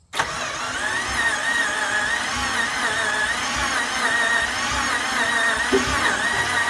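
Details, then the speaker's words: '67 Ford F100 with a 5.7 Hemi upgraded with Eagle heads and pistons, first start attempt with timing pulled out: labored, uneven starter churning with a thin whine and no catch; the battery is down to nine volts. "yeah and the battery's too dead it's down to nine volts so we're gonna have to charge it probably jump it and then we'll see what happens"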